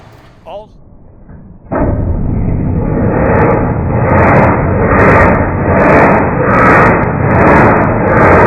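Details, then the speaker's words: 1989 Marmon heavy diesel truck, slow cranking: starter turns the engine over slowly with steady, even compression pulses about once a second; compression sounds even by ear, no gauge used, and no obvious reason found for the slow crank. "i don't see any reason why this cranks over slow um it's making compression it sounds like"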